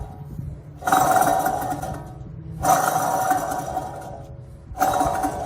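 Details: 2010 Ford Edge rear hub being replaced, spun by hand three times: gritty whirring rumble with a ringing tone that dies away fast, no resistance felt; worn rear wheel bearing.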